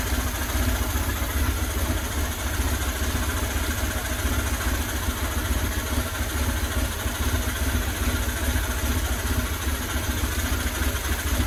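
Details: 2000 Buell Cyclone M2 V-twin, first start after new lifters and battery installed to cure lifter tap: loping idle with steady beat, no top-end ticking, only breather noise; normal idle.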